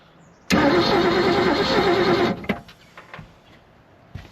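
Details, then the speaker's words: 1976 Glastron boat with a 302 engine that sat 10+ years, old gas: the starter cranks hard for about two seconds but it never catches; no ignition spark, coil suspected bad (7 volts measured). "It's trying to pump it up. We just don't have any ignition here."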